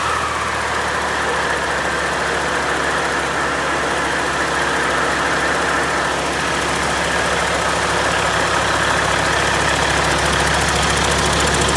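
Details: Freshly overhauled Caterpillar C-15 diesel on its first start, running on the stand: a steady, throaty roar with no knocks, rattles or vibration; good oil pressure, sounds healthy.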